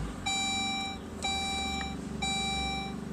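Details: Saab OG 9-3, engine off, after fuel filter replacement: the key is cycled to prime the fuel pump, filter and line before starting; a clear electronic chime repeats about once a second, a normal warning prompt.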